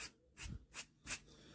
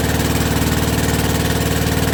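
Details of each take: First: New-old-stock bearing for a WW2 generator rebuild, spun by hand: gritty, notchy rasping from a rusty, bad new bearing. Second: Rebuilt WW2 generator engine on first start, original piston warm, about quarter choke, petrol tap leaking: steady, even single-cylinder beat with no misses or knocks and no smoke; normal idle.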